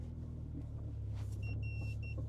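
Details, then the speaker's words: Honda CR-V after new fuel pump, driving in gear: even low rumble with no shake or hunting, smooth under load; in park it still does something weird. "Now it's in gear, it's fine. She's doing all right. And sounds great. Like, look at that. No shake, no nothing."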